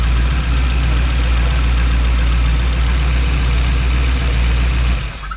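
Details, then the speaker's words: Custom overhead-cam Chevy LS V8 conversion built for a '32 Ford, first startup: loud idle with a lumpy uneven beat and skipped pulses before shutdown; a cylinder is missing, and the carburetor still needs dialing in. "There's running on all of them. Well, it's missing. Needs a carburetor dialed in."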